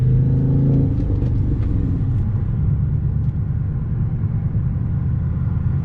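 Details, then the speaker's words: Audi S5 V8 with an aftermarket exhaust, on the road under light load after cleaning the cylinder 8 spark plug to fix misfire codes 00768/00776/00773/00769. A deep, even growl with no stumbles or uneven pulses, no codes or flashing check engine light. "I love the exhaust system that he put it on this car. It's got such a growl. Sounds like no Audi I've ever heard."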